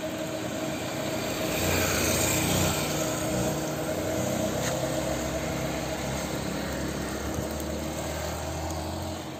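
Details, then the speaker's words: Chevrolet Onix Plus naturally aspirated three-cylinder at idle: slightly lumpy, uneven beat with a faint irregular ticking that occurs only sometimes; dealer mechanic says it is normal for three cylinders, owner finds it strange; intermittent idle noise. "O mecânico da Chevrolet disse que esse barulho é normal dos 3 cilindros, mas tá estranho. E é só às vezes que faz, entendeu?"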